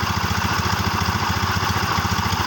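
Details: Yamaha Xeon scooter after repair, burnt stator coil replaced with a Jupiter MX one and original regulator refitted: steady even single-cylinder idle, no misses, knocks or rattles; battery previously kept going flat.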